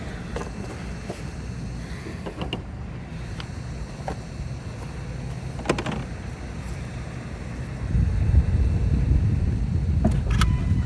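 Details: 2020 Ford Escape with code 1299 after replacing both coolant temp sensors, just started: engine idles quietly, then around eight seconds a heavy steady rush swells as cooling fans kick on from a false over-temperature reading; code later cleared.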